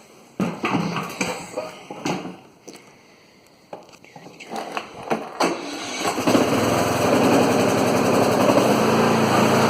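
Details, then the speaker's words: 2013 Troy-Bilt Bronco riding mower (model 13YX78KS011) after replacing broken blade engagement cable: clicks and handling noise, then engine catches and settles into a steady, even run with blades turning; normal running with blades engaged. "Okay, that sounds like it's working, so I guess this video will be done."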